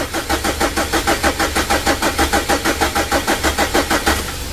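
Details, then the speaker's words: Mitsubishi Strada Triton diesel, freshly rebuilt engine on a jumped battery: even starter churning at about three compressions a second with no firing; fuel not yet reaching, hoses being checked for loose or leaking connections. "Belum naik teman-teman ya minyaknya."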